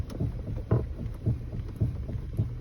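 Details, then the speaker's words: Hyundai Sonata / Kia Optima steering turned left and right: dull low pops about twice a second from the steering column integration module, caused by a worn plastic steering coupler bushing between the splines. "that loud pop left to right underneath here inside of here in this integration module of the steering"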